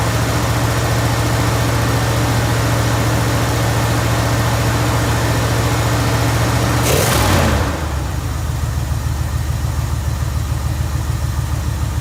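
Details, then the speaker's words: Jeep Grand Wagoneer V8 at idle after fitting a higher-output 94-amp alternator, air filter dirty and due for change; deep, steady rumble with an even beat that briefly swells then settles lower; healthy, smooth-running engine. "This thing sounds like a freaking boat. Listen to that. It's just badass."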